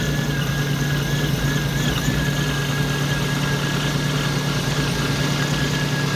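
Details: Supercharged car idling just after a supercharger oil change: smooth, even idle with a faint steady blower whine above it and no knocks or rattles; normal idle.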